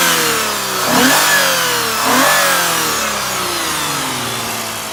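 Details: 2006 Lexus IS350 3.5L 2GR-FSE V6, after rebuild for a bad passenger-side head gasket, revs up and down cleanly twice on throttle blips with no knock, tick or rattle; sounds healthy.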